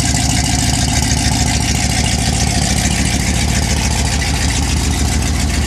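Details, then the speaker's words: 1979 Ford F150, carbureted, cold start at 15°F on a January night with choke pulled and a little gas: fast, fairly even idle pulse about 3.5 beats a second, settling without stumbles; running acceptably. "Sounds like I need to give it a little bit of gas. Yeah, let's try that again. That sounds a little better."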